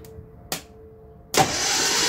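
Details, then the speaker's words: 1968 Datsun 1000 shed find, cranked by bridging the starter terminals with a shifter. A sharp click, then the starter engages and spins the engine briskly and evenly, with good spark at the points. It turned over great; normal cranking. "we have power going to the starter motor engaging the solenoid winding the motor over really well quite frankly it turned over great"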